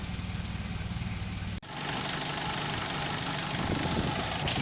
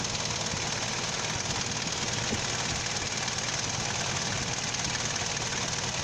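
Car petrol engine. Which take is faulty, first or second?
second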